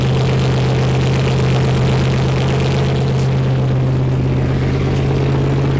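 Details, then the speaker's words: Wrecked C6 Corvette Z06 V8 with Texas Speed heads and cam, after cam timing correction: deep, steady low drone with an even firing pulse and nothing knocking or ticking; running cleanly. "james what do you think i think it runs it runs finally"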